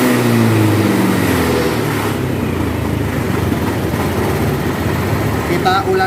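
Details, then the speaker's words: Honda Beat scooter after replacing the faulty TPS sensor (was blinking TP sensor code and dying when throttled): engine now picks up cleanly on throttle and holds revs without stalling; normal revving. "perhatikan di sini teman-teman di sini juga ketika kita gas dia naik ya"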